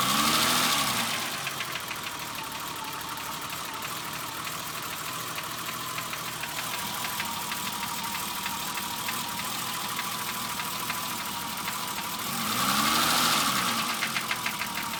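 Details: BMW E30 petrol engine idling with a steady sharp tap about three per second, quickening on brief revs; owner suspects rod knock, piston slap or bearings, three shops couldn't identify it, new engine being considered.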